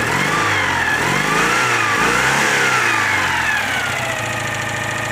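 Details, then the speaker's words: Citroën 2CV with Burton 652cc upgrade (new pistons and barrels) after engine overhaul: flat-twin revving up and down with raw bare mechanical note, running without its cooling fan; oil seepage at oil cooler union. "That's what a 2CV sounds like when it hasn't got its cooling fan."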